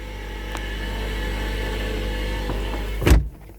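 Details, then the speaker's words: Ford C-Max hybrid: steady high whine only while the gas engine runs, stopping when it shuts off; called transmission noise, believed to come from the generator motor. "so this is a cmax that makes a whing noise when the gas engine's running let's see if we can duplicate it"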